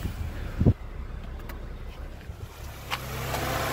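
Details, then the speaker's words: 2006 UK Honda Jazz at idle after fitting a second-hand AC compressor pulley to replace a seized one: quiet, then a click as the compressor clutch engages with AC on and a steady low hum; pulley spinning normally. "now spins and keeps spinning until the air conditioning's done what it needs to do and then it will click in and out as it needs it"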